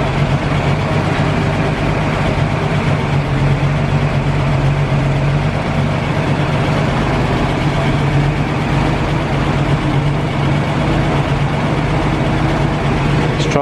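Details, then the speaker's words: 1940 Dodge VK62B 3-ton truck, unrun for months, cold start with choke on, drawing old fuel from the tank: low, uneven heavy idle with lumpy beat, stumbling; owner suspects old fuel, smooths as choke eased and it warms. "i think it sounds like it needs to clear its lungs out a little bit the fuel is quite old"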